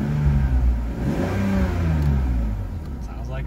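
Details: 2001 BMW E46 330Ci, 5-speed manual, straight-six, bought at auction without keys, first run: smooth revs rising and falling through a couple of blips, free-revving, no knocks or misses, healthy.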